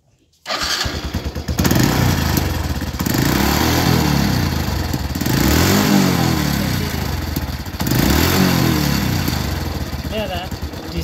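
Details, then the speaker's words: Honda Revo Absolute with exhaust backfire on deceleration, tested with both SAS air-injection hoses capped. Repeated throttle blips rise and fall cleanly with no exhaust popping as revs drop; the backfire is gone. "Nah di sini terbukti ya ketika ditutup selang SS nya ini yang satu saya tutup kedua-duanya saya tutup bukan yang satu saya itu kedua-duanya saya tutup tembakan di knalpot pun sudah hilang"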